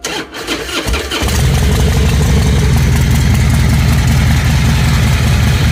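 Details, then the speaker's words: 2005 Harley-Davidson Fatboy Firefighter Edition, 25,000 miles, that developed a loud engine knock while riding: after repair at the primary drive, with the compensating bolt torqued to 150 lb, it catches and settles into a steady, even, loping idle. The knock is gone. "all righty there we go beautiful [Music] [Music] beautiful all right I don't hear it at all"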